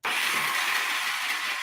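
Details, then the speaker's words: Honda CB360 motorcycle that would not start after a winter in the shed: the starter gives a high, even whir with no cranking beat because the Bendix gear is not engaging the engine. Suspected, reached through the side cover. "that's the sound of that gear not shooting out and engaging it's not that hard to fix just gotta take the side cover off on the other side there's a cover like this take all those screws out pop it off you can get to the bendix skier"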